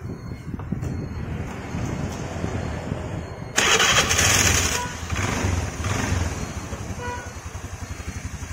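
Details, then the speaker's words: Honda Vario scooter after refitting the loose retaining wire of the starter/kick gear in the CVT, which had caused a catching noise: engine fires and runs even and smooth with no knocking or rattling from the drive side; healthy. "langsung halus ya suaranya ternyata cuma sepele di bagian penahan ya gigi starter atau Gigi engkolan Tadi lepas"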